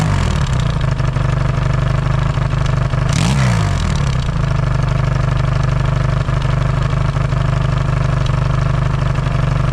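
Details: Yamaha XS650 twin, engine just reinstalled, warming up with points not yet properly adjusted: deep loping idle with one brief blip, otherwise steady and even; no longer smoking, healthy.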